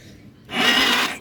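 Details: Motorstar Z200 bought cheap, first start attempt: one harsh, raspy grind about half a second on the very stiff kick stroke, pointing to a slipping, damaged starter bendix drive.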